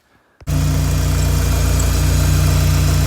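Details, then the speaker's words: Dodge SRT4 after idler pulley/belt tensioner replacement: engine settles into idle with steady whine over low rumble still present; owner suspects timing belt tensioner, not confirmed. "don't know if you guys can hear that noise, that whining noise. It still sounds like it's making it."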